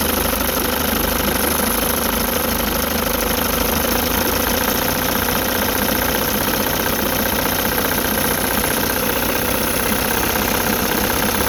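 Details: 1960 Evinrude Fisherman 5.5 hp two-stroke outboard, rebuilt, first start in test tank, warming up before idle adjustment: steady, even burble at idle with no misses or surging, pumping lots of water; normal idle.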